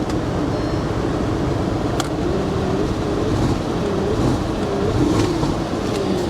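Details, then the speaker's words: Audi at a Copart auction in New Orleans, 94 degrees, in gear with the check engine light flashing: an uneven, lumpy note, pitch wavering under traffic noise; misfiring, running rough and sputtering. Possibly water blowing from the exhaust. "Yeah, she's not happy. I wonder if there's water blowing out of the exhaust. Yeah, she's not running good, guys."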